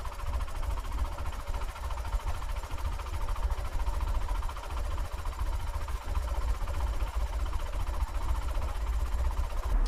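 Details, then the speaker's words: Porsche 914 with a 2056cc engine on dual Weber carbs, idle screws raised: a quiet, even low idle with a steady induction beat and no hunting. Both carbs sound balanced at idle. "Well, that sounds really good. I'm quite happy with the way it sounds. They both sound equal."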